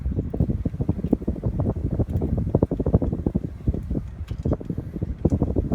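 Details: Codep Stratosphere 52-inch hugger ceiling fan with a non-original light, running on high, mic held close: soft, uneven gusts of air buffet the mic. No knocks or rubbing; normal running.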